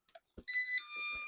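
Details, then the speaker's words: Eufy RoboVac: short pair of high beeps, then a dull clunk and silence as it stops on switch-on; initially blamed on the motor, but the worn-out battery turned out to be the cause. "Now, I'm going to keep the motor just in case cuz it turned out to be the battery, not the motor that was the issue."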